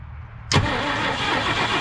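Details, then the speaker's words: 1965 Mercury Montclair Breezeway, sitting 16 years, first start attempt: click then steady starter cranking with no firing or catch; no spark seen, owner suspects no fire reaching coil/points, not confirmed; crank, no start. "i'm not seeing i'll see any spark there turn it over again no spark no spark"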